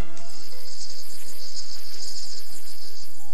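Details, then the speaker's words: 1990 Chevrolet Astro passenger van front disc brake wear indicator: steady high-pitched cricket-like chirping squeal about four times a second, meaning front brake pads are worn and need replacing. "in addition your Astro has a unique front disc brake wear indicator alert system as a special note when you hear a high-pitched squealing or cricket-like warning sound like this"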